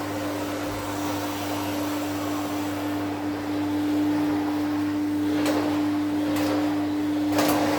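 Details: 1972 Electrolux Z310 cylinder vacuum cleaner, running after its very dirty, noisy fans were cleaned and lubricated: a smooth, steady, quiet mid-pitched motor hum with no rattle or scraping. Healthy, normal running.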